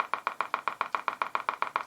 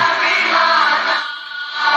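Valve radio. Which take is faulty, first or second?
first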